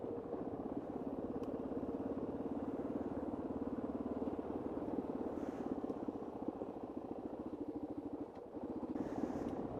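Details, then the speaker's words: Kawasaki KLR on a gravel dirt road, tire changed that morning: steady single-cylinder thrum with two short high squeaks as it hits bumps; rider suspects the right-side front shock, first time it has happened. "I've got the squeaky by Katara's have developed a cold or something every time I hit a bump it squeaks what she's doing so bizarre"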